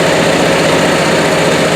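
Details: Onan Marquis 5500 RV generator (1998 Bounder motorhome, 20+ years old, 60 hours) after carburetor rebuild; steady even drone, no misses, knocks or surging; owner says it sounds really good, lots of life left; normal running.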